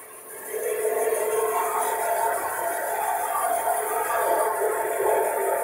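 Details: Old basement bandsaw, used 31 years, sat outside in the cold, first start-up with safety blade cover on: steady high squeal over the motor hum, blade hitting somewhere on top.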